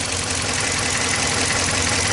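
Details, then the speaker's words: 2014 Dodge Ram 1500 5.7L with a cylinder 6 misfire: rough idle with a sharp, rapid tick. Owner suspects it relates to the misfire, possibly internal damage; unconfirmed. "Yeah, I'm hearing a ticking for sure. Might be our misfire."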